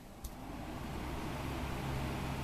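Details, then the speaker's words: Mid-century Galaxy hassock fan switched from off straight onto high and putting out plenty of air. A steady airy rush with a low motor hum builds gently and stays even; the fan runs fine on high. "okay the fan is off and you switch it it goes on too high"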